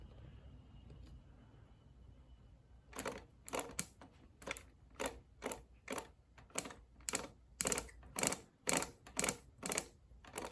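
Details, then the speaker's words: Mallory dual-point distributor for a rebuilt MGB four-cylinder engine on a test stand, spun by hand. Sharp, evenly spaced snapping about two per second, quickening as it spins, and blue sparks at the plugs: normal ignition spark. "The faster you spin it, you can definitely hear the sparks."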